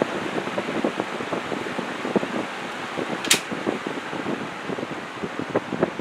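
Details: Old table fan motor after oiling, on low speed: soft, even whir with light blade flutter, much quieter than before, though axial play remains and thrust washers are needed. Normal running.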